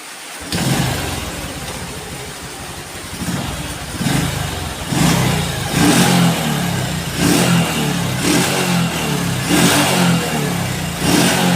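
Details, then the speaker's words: Honda Revo Absolut motorcycle engine just reassembled (block and head, valves adjusted), first start: small single fires settling to a smooth even beat with clean throttle blips about once a second, no knocks; normal running. "suaranya adem dan enak teman-teman ya"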